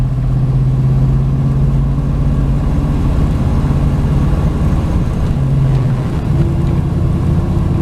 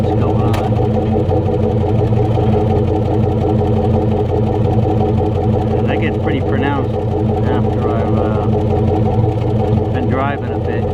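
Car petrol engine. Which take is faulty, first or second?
second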